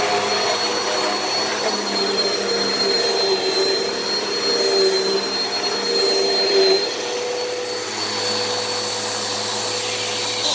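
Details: Repaired Hoover vacuum running over carpet after minor repairs and said to be working fine: a steady high motor whine with strong airflow rush and the pitch holding even. Suction sounds clear and unobstructed; normal running.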